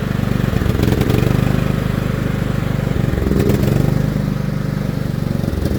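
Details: John Deere L110 lawn tractor that sat 3 years: steady, even single-cylinder chugging at constant speed; runs cleanly with no stumbling or misfire.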